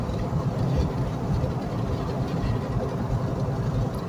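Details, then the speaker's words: Flood-damaged 2006 GMC Yukon driving about 30 miles home: heavy uneven low rumble with a rough crackling edge, vibration felt slightly in the steering wheel; worn sealed-unit front wheel bearing. "wheel bearing you hear it cracking and rolling there it's barely rolling"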